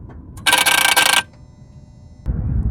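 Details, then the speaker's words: 2014 Jeep Patriot 2.4, limp mode with lightning bolt light and U0401 communication fault; key on, engine off, mic down near the drive-by-wire throttle body: short harsh buzzing rattle then quiet, a faulty throttle body needing replacement. "right, so what you heard was that throttle body. That was the noise."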